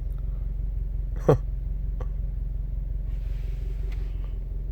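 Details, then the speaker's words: 2017–2018 Subaru WRX STI, idling in cabin: deep steady low drone with no knock, whole car vibrating at very low idle; owner suspects idle speed software, plans tune to fix. "good morning these cars never fail to amaze me like I'm sitting here the entire Kyser vibrating"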